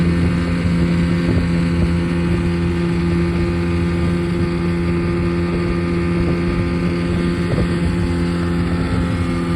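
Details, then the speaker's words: 1971 Mercury Thunderbolt 7.5hp two-stroke outboard with perma-gap spark plug on a GPS power run at about 17–17.5 mph: steady high-revving drone, even and unbroken, light wind; healthy engine, what it should sound like. "This motor does have the perma-gap spark plug, and this is a nice healthy engine. So that's what they should sound like."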